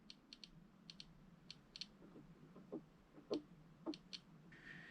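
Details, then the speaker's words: Norwegian TRS-80 Model 100 with an intermittent fault: small, sharp clicks from the internal speaker at irregular moments as the screen dims, flickers and the machine fails. Cause not yet found. "there are some clicking sounds from the speaker, I guess, uh when it uh starts to fail."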